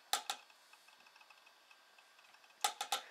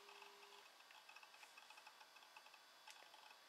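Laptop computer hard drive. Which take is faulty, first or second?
first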